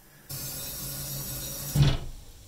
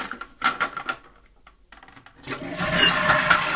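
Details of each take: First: Wall-hung toilet cistern refilling with steady hiss, then a hard thud through the plumbing as the fill valve shuts: water hammer; anti-hammer devices at the manifold not very effective, arrestor to be fitted near the cistern fill valve. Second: Suspended WC cistern refilling after fitting a 3/8" water hammer arrestor at the fill valve: flush rushes, then a steady refill hiss tapering off with no bang at shutoff; water hammer is gone.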